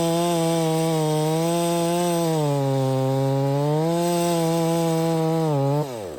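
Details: Stihl MS 660 chainsaw, 32in bar, after carburetor and air filter cleaning fixed its failure to hold idle: strong steady high drone under load cutting pine, unwinding cleanly off throttle; healthy, though a broken fuel cap leaks and it smokes a bit.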